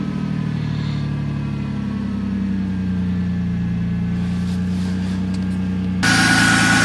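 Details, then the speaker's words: Ford Contour cold start after battery replacement, not run in a while, key cycled first to repressurize fuel; settles into a smooth, steady low hum with no misfire or stumble; normal idle. "okay so we're going to start it up this has been cold and hasn't been run in a while"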